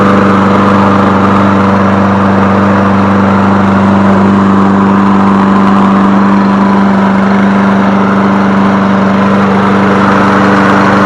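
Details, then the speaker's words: Toro 22-inch Recycler mower after a fix and refuelling; usually starts first pull or two; loud, steady drone of constant pitch, no surging, knocking or sputtering; running smoothly at speed. "so a bad little machine there guys not a bad machine at all"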